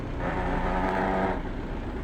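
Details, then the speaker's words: Truck with an 18-speed Roadranger constant-mesh gearbox at idle: a low gritty buzz for about a second as the gear lever is lightly rested to touch the gear teeth, used to find the gear; gear teeth rubbing. "when you're going for a gear one thing that you can do you can't find a gear what you can do is you can rest the gear you might be able to hear it now you hear that"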